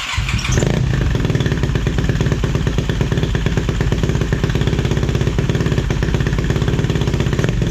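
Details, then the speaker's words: 2007 Yamaha YFZ450 quad on Rotella oil, just got running that night, owner suspects the stator could be bad: catches within a second and settles into a fast even idle with crisp regular exhaust pulses; normal start and idle. "Alright, so that is our 07 Yfz450, and she's built pretty good."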